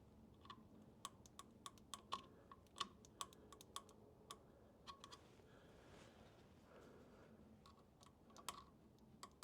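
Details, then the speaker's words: Farmall Super M tractor that hasn't been started in a while, ignition on and battery power present, engine not running: sharp, thin snapping ticks at an uneven pace; spark firing but weak. "turn the ignition on here see if we get any spark I hear it but it is weak I do not"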